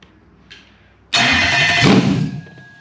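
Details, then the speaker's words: Toyota 3UZ V8 ECU with immobilizer still active, tested on a bench engine setup before reflashing: engine catches with a sudden roar for about a second then dies immediately; immobilizer cutting the start. "here is an ecu that i'm going to reflash and it has an immobilizer on it and this is what they do with an immobilizer"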